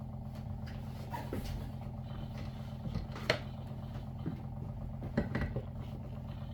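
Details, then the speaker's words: WaterFirst Dr.Water Y countertop 5-stage reverse osmosis purifier, new, first setup, filtering cycle: steady low electric pump hum, even throughout, a few light knocks from handling; normal pump running. "It says it's working. Right there. Sure, sounds like it's working."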